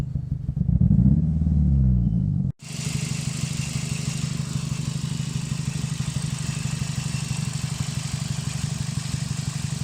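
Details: 2005 Scion xB, 135,000 mi, power loss and rough idle: idle thumps unevenly with a missing exhaust beat; cylinder 4 not firing from a bad ignition coil pack, confirmed.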